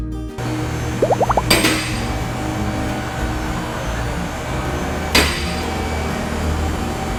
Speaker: you guys hear that loud clicking noise as it's going up what that is is a safety release so whenever it goes up past a certain point a little lever falls down so that if the Hydraulics failed the car wouldn't come down